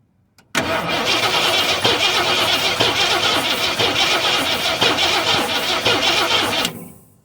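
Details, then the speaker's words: 1973 Ford F-250 unstarted for 18 years, cranking with no spark to the plugs: steady starter churning about three turns a second for six seconds, no firing; owner plans to recheck the plug, then pull points and condenser. "all right i'm gonna pull the plug real quick and uh check it again uh if it's still not sparking i'm gonna go ahead and uh pull the points and the condenser and go from there"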